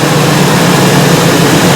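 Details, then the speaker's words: Ford E350 5.4L V8 idling during a scan-tool misfire test with code P0301: steady low drone with an uneven, stumbling beat, cylinder 1 misfiring heavily, cylinder 2 also showing misfires; the coil is pulled next. "Okay, let me start a car. See what's going on. Okay. Yeah. Fire number one over here like right over here."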